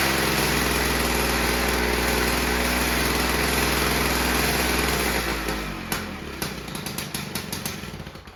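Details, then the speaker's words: Normal running of a VICTA Tilt-A-Cut lawn edge trimmer's 2-stroke engine, fuel tap on, primed three times, mid throttle: starts after a few pulls, buzzes evenly, then dies with a few pops; fault was a disconnected fuel line. "So there you go, folks. What a beauty. You know, it took a few pulls, but she started up and ran."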